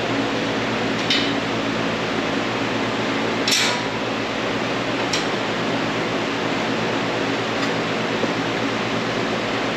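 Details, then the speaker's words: Modine gas unit heater in shop, after repair with pilot lit: steady even blower rush with low hum and a few stray clinks, firing and heating normally. "Nice and toasty up there. So, I think we're good."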